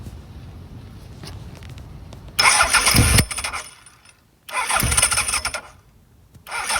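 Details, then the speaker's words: 1983 Honda CB1000 motorcycle: two harsh bursts of starter whir with gaps, engine never catching; starter clutch spinning free without cranking, owner suspects worn starter clutch rollers or shaft. "yeah and you can hear sometime like the stter clutch was just spinning it would spin for free and I think it was this rolls the rolls were kind of consumed"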